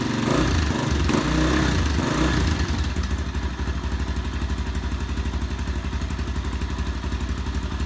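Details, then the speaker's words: Honda XR250 single-cylinder after engine rebuild, first start with lots of oil on piston, starting fluid used: a few rough revs as it catches, then steady even beat about four pulses a second; runs clean. "all right it sounded good took a bit to start but i had had a lot of oil in the when i put the piston in a lot of oil engine oil i put in there"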